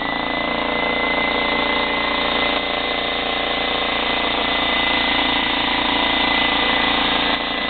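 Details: Slightly used DeWalt 15-gallon vertical air compressor, in good condition: steady motor hum with an even pump chug about three to four beats a second, no knocking or squeal. It runs normally. The regulated side works, but the tank pressure gauge is stuck.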